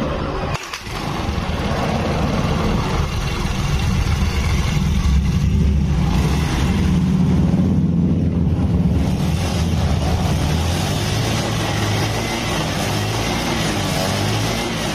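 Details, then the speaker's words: Honda Beat carburetor scooter (KVY) before engine teardown, kick started: harsh, ragged, uneven running with heavy smoke; no oil found under the oil cap, raising suspicion about the cause. "Saat dinyalakan kok ini suaranya gersang, agak listrik lagi ya. Sebelumnya nggak ada ngebul, nggak ada."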